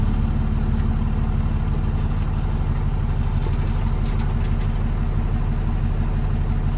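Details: 2009 Kenworth T370 diesel service truck, just under 35k miles and about 3,000 hours, fully serviced: a steady, deep idle with an even low rumble and no knocks, misses or hunting. Normal idle.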